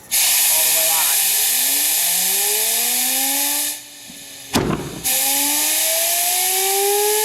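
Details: Homemade turbocharger gas-turbine jet engine fed with propane, throttle cracked about a quarter with air assist and igniter: loud rushing hiss with whining tones that climb as it spools up, then sustain on their own after a brief drop; clean start.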